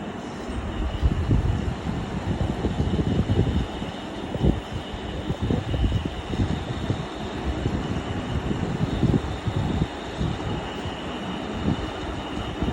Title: Crompton fan bearing and humming noise 2 @Macky-y7l